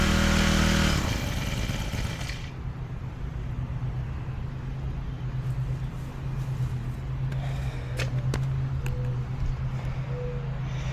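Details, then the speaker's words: Honda FG110 mini-tiller, GX25 4-stroke engine, after carburetor replacement: engine catches on the pull and settles into a steady, even idle with no hunting or stalling while warming up; normal start and idle. "So, you heard it start there. I'm going to let it warm up a little bit."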